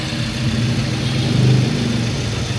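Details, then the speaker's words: Suzuki SX4 S-Cross automatic, after repair of melted ignition coil and cleaning (complaints were weak pull, misfiring, won't rev), idling untouched for 5 minutes so ECU relearns sensors; low, even idle, very smooth, no rough noises, healthy. "ini suara mesinnya terdengar halus halus sekali ya sobat ya tidak ada suara-suara kasar dan lancar aman semuanya"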